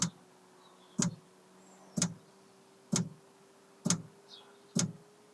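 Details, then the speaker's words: Planar/Autoterm diesel heater in a campervan on first test run: fuel dosing pump ticking sharply about once a second, quickening, loudly amplified by the side panel it's mounted on. "it was making a ticking noise here we go ticking noise I don't know if you can hear that but it turns out already mounting the pump on the side of this is a terrible idea is it's simply acting as a giant amplifier for the ticking"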